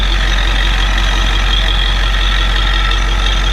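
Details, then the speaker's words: 1993 Ford E350/E450 box truck, 7.3 IDI diesel with E4OD, started after sitting a year: steady even diesel idle with smooth low rumble, no misses, knocks, surges, blow-by or smoke; healthy engine. "This thing started, it sat for a year and it started without any issues. This thing, man, is a trooper. The engine sounds really good. It has no blow-by."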